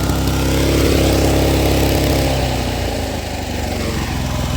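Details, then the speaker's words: Honda commercial pressure washer, long stored, running under load after a bad magneto was fixed and the carburetor cleaned. The engine note dips slightly as the pump loads, then holds smoothly, and the gauge reaching the yellow line shows the pump making pressure. "which means it does have some pressure coming out of the pump"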